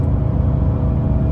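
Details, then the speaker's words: 2002 Ford Taurus, codes P1121/P0122, driving on barely touched throttle: steady heavy drone as revs climb to 4,500 rpm; TPS replacement only helped slightly, new alternator and belt fixed it. "and look at this i'm barely touching the gas barely even putting my foot on the gas and we're all the way up to 4 500 rpms"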